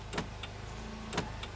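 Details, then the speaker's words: Nissan Sentra, engine running with headlights on: sharp paired clicks about a second apart from a CAN interface module (labelled CAN SL2) cycling; dash lights and headlights flicker until it is unplugged, faulty CAN bus interface module. "so right there the lights are flickering so once i disconnect this the problem is gone so this box here is the problem"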